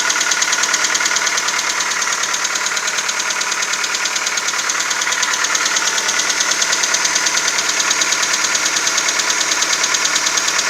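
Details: VW Golf 4 1.4 AHW petrol on 5W40 Castrol Magnatec, cold start idle: steady fast even ticking knock about three per second; nearly inaudible once warm, leaving distant ticking and shuffling, engine runs smoothly; owner unsure if normal.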